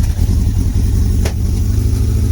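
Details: Motorcycle start after sitting a long time, on choke with air filter removed; rough steady low engine drone with one sharp exhaust pop partway through as the second cylinder tries to come in, a backfire.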